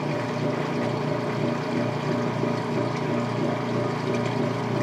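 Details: Late-1990s/early-2000s Whirlpool direct-drive washer, neutral drain to the standpipe with timer noise: continuous train-like rumbling roar with a gentle rolling pulse; normal, characteristic direct-drive neutral sound.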